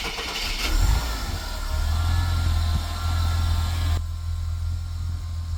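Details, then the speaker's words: Ford Fairlane started after repairs including drive belt replacement; previously needed a bit of pedal and had a miss. Now it cranks, catches quickly and settles into a steady even low idle with no miss; normal start and idle. "Started a bit better. Take it for a cruise. Alright. Seems to be better. Doesn't have that miss."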